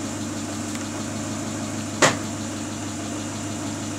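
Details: Great Wall Hover H3 after head gasket replacement for a blown gasket (antifreeze in cylinder 4), warm at 86°C: steady, even idle with a smooth low hum and one brief click midway; no misses or knocks.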